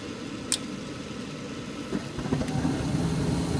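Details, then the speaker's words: Gas furnace after tune-up and cleaned flame sensor: following inducer fan and hot igniter warm-up, gas opens with a click and soft whoosh building to a steady low roar, blue flame across all burners; clean, normal ignition. "Now we're going to get gas, and it's going to be a nice blue flame all across the burners."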